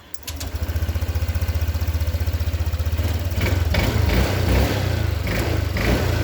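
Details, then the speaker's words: Honda Vario 150 injection scooter, fuel pump pressure about 40, stalling on throttle at cold morning start: starts at once, steady putter about three beats a second, revs cleanly without stalling; normal running. "Oke teman-teman, aman ya."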